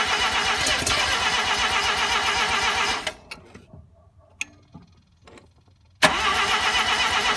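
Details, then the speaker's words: RX-7 first start attempt after swapping a 12A rotary in for the 13B: steady cranking at about four beats a second, a pause, then more, never firing. The ignition timing was way off; the owner first suspected no spark. "so last night was a little bit of a failure for starting in the car it turns out that my timing was way off and I thought that I was just getting no spark"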